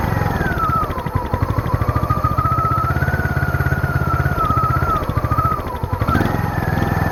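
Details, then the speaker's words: Small single-cylinder engine on old generator, sat for years in pumphouse with mice inside, spring-loaded choke on, air filter off: chugs with wandering, sagging speed, won't idle; rough hunting idle, owner suspects choke, missing air filter or rich running. "apparently doesn't want to idle very much i'm not entirely sure what that's all about uh well i think i could put the air filter back on maybe that's why it's not uh running as smoothly"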